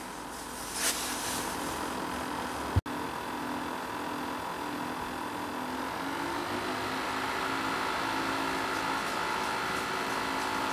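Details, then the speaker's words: Dell XPS laptop fan under no load ramping up: quiet airy hiss, then a rough buzzy tone climbing in pitch; failing fan, replaced. "so right there you can hear the fans start ramping up and you can hear how bad that fan sounds again pretty disappointing"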